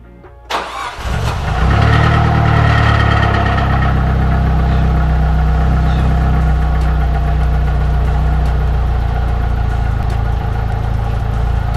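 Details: Nissan S13 200SX CA18DET after cam timing and CAS reset: starter whirs briefly, engine catches at once, revs and settles into a steady even idle; starts and runs normally after repair.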